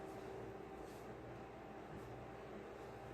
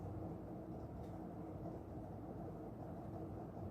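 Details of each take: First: Aloha Breeze tower fan from about 2005, cleaned and serviced after oscillator motor failed, on medium: steady even air rush with faint motor hum, no ticking or rubbing, papers blowing 10–15 ft away. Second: Aloha Breeze tower fan on low with the oscillator on: oscillation does nothing, and a steady low buzz and grinding with scattered clicks come from the base; swing drive likely failing.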